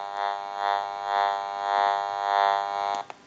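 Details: Repaired General Electric 6.0 cordless phone on test amplifier during final checkout: steady electrical buzz with gentle pulsing swell about twice a second, cutting off near the end; normal interference hum from base frequency.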